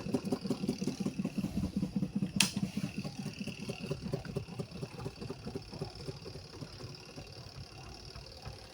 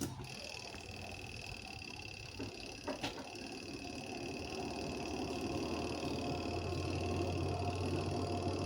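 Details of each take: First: Washing machine spin dryer: rhythmic thumping about two to three times a second that fades as the drum slows; cloth trapped in the spin basket is typically the cause. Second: Indonesian washing machine spin dryer, previously loud and clattering from small cloth wrapped and caught in the spin drum; after freeing the cloth, the drum winds up to a smooth, quiet, steady whir with no scraping or knocking: normal spin dryer operation.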